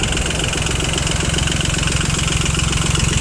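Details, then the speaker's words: Yanmar YM2500 rear-drive Japanese mini tractor, three-cylinder diesel, 1004 engine hours: even steady idle with regular firing beats and no knocks or misses; engine runs smoothly and well. "трехцилиндровый двигатель, который, как слышно, достаточно ровно и хорошо работает."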